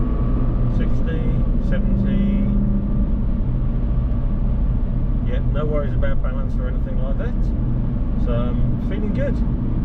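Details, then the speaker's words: 2006 Porsche Cayenne 955 Mk1, 9PA 340 hp engine, driving after fitting a drive shaft (cardan) support clamping mount: smooth, low road and driveline rumble at steady speed with no clunks or banging on or off throttle; quiet, refined drivetrain. "I can release my foot from the throttle no freshing banging so the dry shaft fa in is thing where it's supposed to be which means the dry shaft to say staying where it's supposed to be and that's making for a much nicer much quieter much more refined and poor Light Drive"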